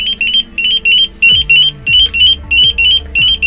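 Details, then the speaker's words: SPY smart car alarm with remote start: rapid high chirping beeps, about ten in a few seconds, over the running engine. It warns that the doors are unlocked while driving and auto-locks once the brake is pressed. "peringatan artinya mobil belum terkunci Ya kita harus mengunci mobil saat berkendara ya"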